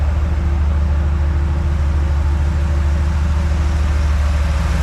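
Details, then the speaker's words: 1954 Chevy truck on a 1991 dually frame, small-block 350 converted from points to HEI with a new intake and 4-barrel carb, warm: steady, even idle with no misses, just slightly fast. Idle speed set too high, turned down to 600. "Sounds just a little high."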